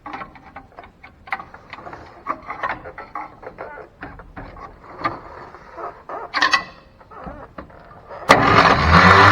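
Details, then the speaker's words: 1957 Chevy 3100 pickup, original six-cylinder, sat 57 years; short choppy starter whirs and clicks, never sustained crank, final loud spin; starter won't stay engaged, owner suspects starter rather than flywheel. "Yeah, I don't think it's the flywheel, I think it's the starter. If I can't get the starter to stay out long enough to check for spark, then I'm sure not going to be able to get it to stay out long enough to fire."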